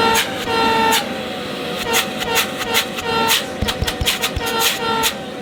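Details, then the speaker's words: Shark CV100UKT bagless cylinder vacuum, base model: a loud horn-like honk, a "foghorn effect", keeps breaking in over the motor's roar. It comes mainly when airflow is restricted and was less noticeable on the first unit. "You don't hear it all the time. It wasn't so noticeable when I unboxed the first one, and it tends to mainly happen when there's a restriction to the airflow."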